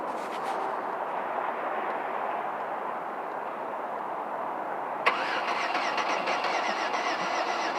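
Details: 2005 Venture cranks but won't start: faint, uneven starter churning for several seconds without catching.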